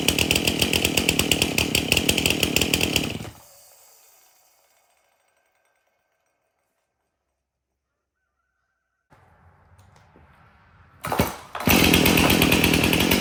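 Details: Stihl MS 271 chainsaw, previously hard to start, after tank found clean and fresh mixed fuel added: saw buzzes steady and strong, shuts off, fires straight back up and runs clean; healthy idle and rev.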